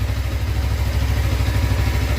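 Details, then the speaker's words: Suzuki GSX250R fuel-injected bike after fuel repair, running on low fuel that previously caused stalling past mid-tank. Steady low burbling idle with even firing pulses, no misses or knocks; both fuel injectors sound like they're working fine. Normal idle. "sounds really healthy both fuel injectors sound like they're working just fine"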